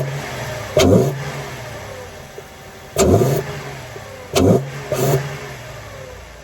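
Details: Car running after reinstalling a cleaned K&N air intake filter: short clean throttle blips rising and falling evenly between quiet idle, picks up and settles smoothly; sounds healthy.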